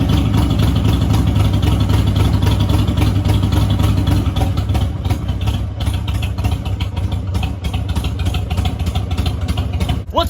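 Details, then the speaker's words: Mini Harley chopper V-twin idle hunting between high and low rpm rather than settling; owner links it to a choke that slides back in instead of staying out at startup; idle surging. "you guys might have noticed the Harley kind of sounds like it's like high rpm low rpm so there's a story behind that"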